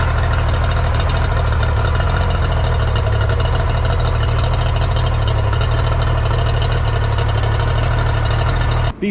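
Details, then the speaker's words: Older Yamaha two-stroke outboard: smooth, steady low idle with an even beat and no misses or knocks; it runs clean. "I just pulled this Yamaha 42 stroke out of my garage runs really good figured i' show you guys how well she runs"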